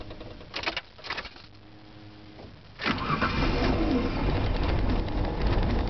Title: Hard Start 2